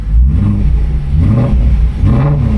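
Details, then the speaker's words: BMW M3 after replacing a sensor to fix a cold start stalling issue, with the engine light now gone: quick throttle blips rise and fall cleanly back to idle with a deep, even note and no stutter or misfire; healthy revving. "Comes back down to idle pretty nice, too. Doesn't stop and stutter. I mean, the engine light's gone. That's like the biggest thing, though. Well, you can hear when I give it gas, it sounds pretty pretty fine."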